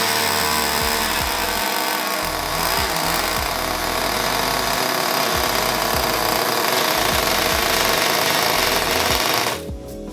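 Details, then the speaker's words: Small nitro RC buggy engine, torn down after it wouldn't stay running and then wouldn't start, now runs with a high, steady, clean screaming buzz for about ten seconds before cutoff, clutch winding down; break-in still to come. "all right guys it runs so i don't know if you guys can hear that but the clutch is still uh winding down there so pretty good"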